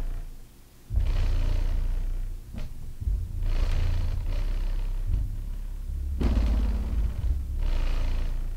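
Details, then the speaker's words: 18-inch Skar SDR 18 dual 4-ohm subwoofer wired to 2 ohms, on about 650 W from a Power Acoustik amp, in a free-air test on the ground. After clearing sawdust and a suspected connection problem, it plays strong, even bass thumps with no popping or dropouts. "so now that the subwoofer is working fine free air let's get it inside its box and see how it performs"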